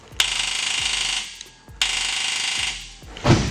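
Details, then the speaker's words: Drift car with LS engine, battery good: two short bursts of high electric whirring with no engine firing, then a sharp metallic clunk; the starter is failing to crank the engine. "Because right now the battery's good, everything's good. The starter is the one that's actually failing out on us."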